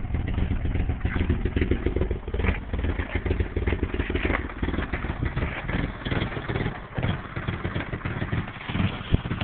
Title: 89 240sx rough idle